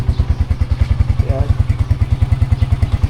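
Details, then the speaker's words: Motorcycle engine after repair, being broken in: steady, even low thump at idle with no knock or slap; the earlier knocking and smoke are gone, engine sounds smooth and healthy. "g ating makina ngayon, medyo tahimik na siya. Wala na yung lumalagapak."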